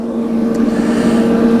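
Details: REC TEC Bullseye pellet grill on startup, igniter on and set to max: steady low blower fan hum at even pitch, no scraping, ticking or wobble; normal blower running.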